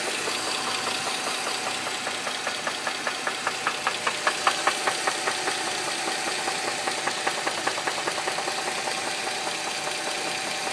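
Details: 2007 Dodge Charger 2.7 after oil ran fully low on the interstate, idling: sharp, steady loud metallic knock about two and a half times a second; persists despite new lash adjusters, engine cleaning, spark plugs and valve cover gaskets.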